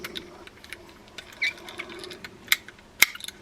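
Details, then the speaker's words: Older collectible fishing reel with etched side plates and a broken side plate: sparse, uneven metallic clicks with odd sharper snaps; clicker loud but not engaging cleanly. Worn click tongue or something interfering suspected. "I'm hearing that we probably have a worn click tongue. No, that's pretty loud. But there's something that's kind of interfering over there."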